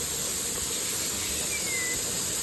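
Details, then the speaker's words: Pressure canner with beef bone broth jars, venting over 10 minutes before weights go on, indicators popped up: steady, even hiss of steam with no sputter; boiling hard and venting normally. "You can see right here, these little things popped up on both of them, and do you see the steam coming out? It's a steady stream."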